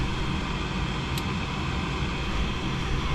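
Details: Fairly new gas furnace on a no-heat call, after ignition lockout: the inducer motor gives a steady, even low hum with no rattle or wobble, spinning smoothly. Normal inducer motor running.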